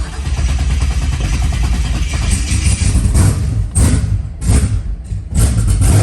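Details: LS-swapped twin-turbo SN95 Mustang with Holley EFI on its first start: deep V8 idle that stumbles and sags every second or so, never settling into an even beat. Rough idle, still needs tune work.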